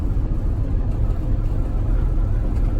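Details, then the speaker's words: MC8 bus repowered with Detroit 8V71TA diesel, cruising on interstate at 55 mph during 80-mile test drive after air compressor replacement: deep, even drone, no knocks or misses; engine barely audible from driver seat, healthy cruise. "it's running real good can't even hear the engine up here he just followed me and his guard he said he could definitely hear behind me yeah now she's doing real good"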